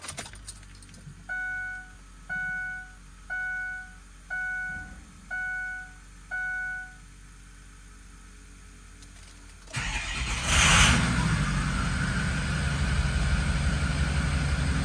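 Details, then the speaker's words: 2005 Ford Excursion 6.0 Powerstroke diesel after turbo cleaning, MAP and EBP sensor service for P0299 under/over boost: chimes, starter catches, steady rumble with smooth airy turbo rush, previously absent; normal start-up and idle. "all right guys so that sounds a lot better now because before when I started it would just be buckled you wouldn't hear that air flowing like that"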